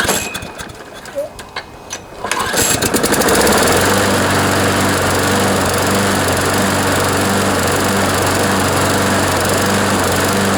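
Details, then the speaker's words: John Deere JS26 push mower with a Briggs & Stratton engine, after fuel system cleaning, new plug and air filter: hard pull start, then a fast steady beat with occasional skips and vibration. Owner suspects a partially sheared flywheel key after the blade hit something. "so you can see what i mean it kind of skips every now and then and just doesn't seem like it's running quite right"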